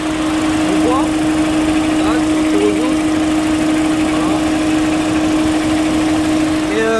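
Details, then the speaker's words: Peugeot 207 1.6 95 hp petrol four-cylinder after replacing the faulty ignition coil: steady, even idle hum, constant pitch with no misfire gaps; runs smoothly, confirming the coil was the fault. "on a le moteur qui tourne le droit donc comme quoi que on avait bien la bobine"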